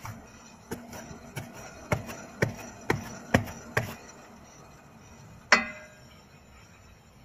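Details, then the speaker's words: Hub bearing with a wheel turned slowly by hand: separate dull knocks about every half second. The knocking showed up over bumps, in turns, on stops and during hard driving. Two workshops missed it and a third found it; after replacing the bearing the sound disappeared. "проявляет себя в разы чаще вот такой вот звучок и так как ученика будто у тебя вот вот вот чуть-чуть отвалится общем диагностировали пока только вот подшипник ступицы"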